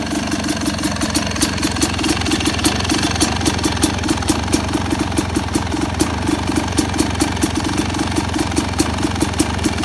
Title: 2st YZ250X PULSER COIL DELAY DEGREES IDLE SOUND(more delay)